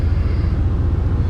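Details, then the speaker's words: 1980 Pontiac Turbo Trans Am, turbo 4.9 L, about 82,000 miles, cold engine idling: a deep, steady rumble with an even exhaust pulse and no knocks, ticks or squeal; the heater motor squealed at startup; the exhaust sounds good, a normal idle. "yeah exhaust Zounds good engine's cold like I said"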